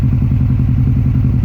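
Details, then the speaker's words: 2006 Subaru STi in for diagnosis: heavy lumpy low pulsing, engine shaking badly with compression coming out and blue smoke; oil not white, mechanic suspects failed turbo rather than head gasket. "so the car is shaking a lot and compression is coming through here"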